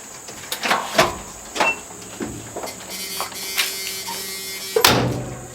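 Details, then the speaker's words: Barn-find 1990 Chevy G10 van, probably unstarted for 3–4 years: a few clunks and handling knocks, then an even, steady buzz for a couple of seconds; the ignition warning buzzer works. "Buzzer works."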